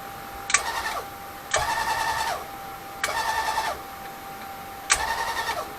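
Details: Grizzly G0758 mill DC Z-axis power head on temporary 9 V battery test wiring: four short runs of a steady, clean motor whine with fan, crisp starts and stops, even pitch; motor works pretty good.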